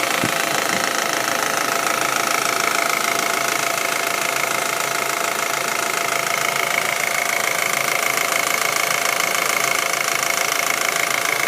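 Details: Audi A4 1.8T petrol, warm idle: light steady ticking over thin bright running sound; ticking appears when engine gets warm; cause unknown.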